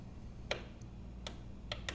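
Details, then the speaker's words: Honeywell 7500 W generator, Honda-clone 420 cc engine, long stored, electric start: four sharp dry clicks at uneven intervals with no cranking, starter solenoid clicking because the battery is stone cold dead. "it doesn't work. The battery's stone cold dead."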